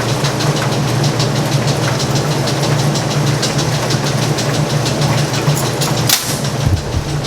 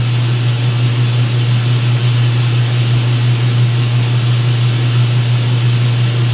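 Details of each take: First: Speed Queen top-load laundromat washer in spin cycle: steady quick ticking over the loud spin drone, keeping pace with the drum; idler pulley moving back and forth, believed bent, and drive belt going bad. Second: Speed Queen top-load laundromat washer after belt work: steady even low hum with no slap, squeal or grinding as the drum slowly picks up speed spinning water out; normal spin.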